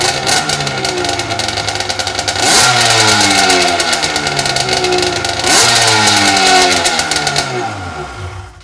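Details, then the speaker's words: 1995 Lucore Watermotive PJS VHP7000 jet ski (hull #70), two-stroke with rear and front carbs, run after reshimming and fuel work: crisp blips rising and falling cleanly, revving freely with no misfire or bogging; snappy, peppy, sounds good. "That makes me happy. That's freaking awesome. Snappy little thing. She's peppy. Sounds good."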